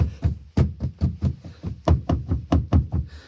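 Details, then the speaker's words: 1998 Nissan Elgrand E50, 3.3 L V6 petrol, about 10,500 miles in a year of ownership: about a dozen hollow clunks, one to two a second, as the door is rocked; something loose inside the door rattles, worse over potholes. "Something in the door gets loose. So, when you hit a pothole or something, it jars the door and it go It's like this really annoying rattle."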